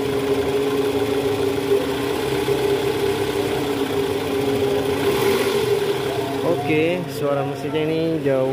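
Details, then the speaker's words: 2009 Toyota Vellfire 2.4L after replacing worn, loose balancer shaft that caused a rough growl from the oil pan area in D/R with A/C on: smooth steady idle hum, no shake or rattle; normal idle. "lebih halus dibanding awal"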